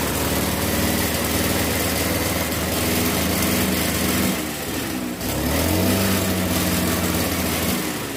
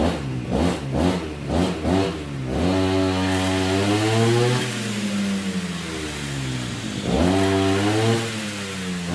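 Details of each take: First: RBC411 two-stroke brush cutter revs up and settles into a rough, shaky drone with violent shaking through the shaft; before this a loud noise came from the clutch housing area; caused by bent tips on the cutting blade, fixed by straightening them. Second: RBC411 two-stroke brush cutter after its bent blade tips were straightened: buzz blipped a few times, then revved smoothly and held steady without shaking or rattle; running evenly.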